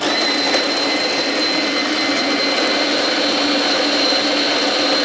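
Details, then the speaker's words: Fellow Opus coffee and espresso grinder set near an espresso setting, slowest of three grinders; steady, even low-toned whirr with a faint high whine, quieter than the Sette and slightly louder than the Silenzio, normal grinder operation. "The Opus is the slowest grinder out of these three, but that's not to a fault because um as you could hear, it's definitely quieter than the Seté. It's just a tiny bit louder than the Senzio, but the tone is still kind of a low tone."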